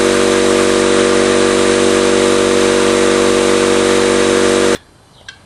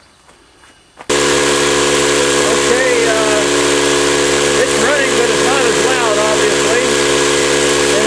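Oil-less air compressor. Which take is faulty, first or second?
second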